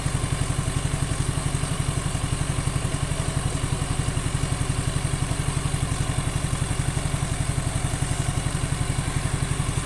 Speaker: sudah saya Panaskan beberapa menit ya ndak hampir 30 menit lebih dari 30 menit juara masih stabil langsam tidak ada suara-suara yang mencurigakan entah itu di bagian mesin Tengah CVT intinya halus seperti standarnya normalnya suaranya seperti ini untuk Suzuki Nex 2